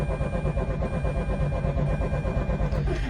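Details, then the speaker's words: 2004 Mazda RX-8 rotary, after revving and shutting down during idle-fix after battery replacement: steady starter cranking near three beats a second, no catch; turns over but won't restart. "It just doesn't want to start up right now, understandably so."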